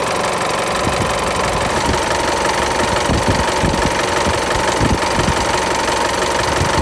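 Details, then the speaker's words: Isuzu Mu-X diesel after the A/C belt was re-tensioned to stop belt flutter and A/C compressor clutch noise: usual idle clatter but no slap, flutter or squeal, belt runs steady and quiet, only slight movement when the compressor engages; normal accessory belt running. "เป็นยังไงบ้างครับแล้วนะนานๆก็จะเห็นได้ว่าตัวใส่พาเนี่ยนะครับไม่เต้นแล้วใช่ไหมครับและก็คือเขาไม่สวิงล่ะนะครับเขาคือหมุนนิ่งเลยนะมิ่งมากๆเลยและก็ไม่มีเสียงแล้วด้วยนะครับ"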